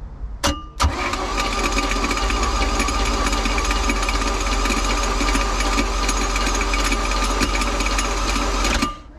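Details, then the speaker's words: Flood-washed Bayliner boat engine first crank with a donated used GM starter: harsh metallic rattle over the starter whir, later traced to a pushed-out freeze plug probably dangling at the back, catching on the flywheel. "remember that rattle noise we heard when we were starting the engine that's the freeze plug was probably dangling around the back getting caught up on the flywheel"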